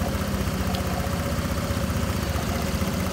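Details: Honda Vario scooter, flood-exposed, that stuttered badly on throttle: after replacing the moisture-damaged TPS (throttle position sensor), engine idles with a steady, even low putter, no misfires or stumbles; normal idle.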